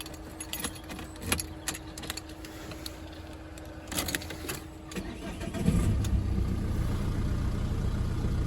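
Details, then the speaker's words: Ford S-Max after replacing carbon-contaminated broken EGR actuator, around EGR position learning: engine catches quickly and settles into smooth, even idle with no misses; running fine, no fault code. "I mean you could hear it was running fine and there was no fault code"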